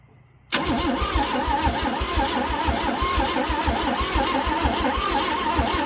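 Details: Chevrolet C10 with the starter back in and corroded plugs: the starter spins the engine at a steady, fairly quick rhythm but it never catches. Spark and fuel confirmed; tampered timing or a bad coil suspected. Crank, no start.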